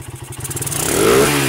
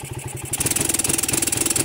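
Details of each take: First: Suzuki Satria motorcycle, previously would not rev and sputtered badly with the battery removed, now running without battery on an aftermarket regulator: quick, clean rev-up with firing pulses closing together smoothly and no stumble; fault traced to the stator spool coil. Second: Suzuki Satria with Denso-type CDI, revved with the battery disconnected: engine stutters and pops unevenly and won't take throttle, though with the battery fitted it revs full to the limiter.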